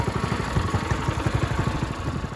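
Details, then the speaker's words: Ryobi 3100 PSI pressure washer, 212cc idle-down engine, after cleaning its clogged carb with the throttle set manually and the pump still bad: small single-cylinder putters quickly and evenly with no misses, surges or knocks; runs fine. "perfect so I ended wrong sounds pretty good now I gotta decide what pump I'm gonna put on it"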